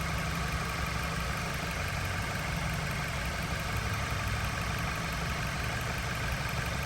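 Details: 2013 Dodge Avenger 2.4 L after crankshaft position sensor and thermostat housing replacement and radiator back-flush, warm at about 210–215°F waiting for fans: quiet, steady idle with an even low hum, no knocks, ticks or misses; engine sounds healthy.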